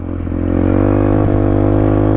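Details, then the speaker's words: Dirt bike pulling away in first gear on light throttle, no need to floor it; engine pitch climbs smoothly, getting closer and louder, clean even revving before shifting to second; normal acceleration. "you don't have to floor it just you know you just get a little bit of throttle you can get moving as you hear the engine revving up and getting closer and louder"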